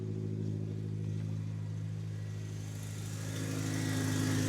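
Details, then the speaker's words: Toyota Tacoma with a head gasket problem and recurring misfires, engine started while pouring Bars Leaks head seal into the cooling system, not yet at operating temperature; even, steady engine note rising slightly, no stumbles: running smoothly without misfire. "It might even misfire right now, and you guys might be able to hear it. Of course it's running fine when I want to show you guys."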